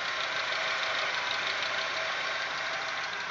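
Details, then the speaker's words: Audi 1.8, 90 hp, after cylinder head repair (casting pits welded), Lukoil 15W-40 oil. Once warm, a light uneven tapping about three per second at idle comes and goes; swapped hydraulic lifters changed nothing. Owner suspects hydraulic lifters or oil, unconfirmed. "вот слышен легкий стук ну даже не стуку а так легкое проявление studios сейчас пройдет время и он начнёт усиливаться"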